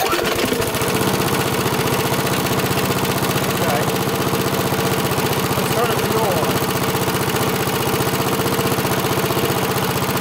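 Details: Rickel lawnmower, small single-cylinder engine, idling after an adjustment (set to 28–30 instead of 32) and fuel turned back on following a bad fuel leak: even, steady beat with no stumbling; the carb is no longer leaking and it runs fine.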